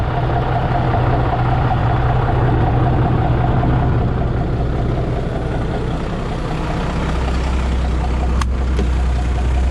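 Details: 1991 International 9670 Eagle truck diesel idling just after restart following cab lock work: deep, steady chug around three and a half beats a second, even and unhurried, no knocks or misfire; healthy idle.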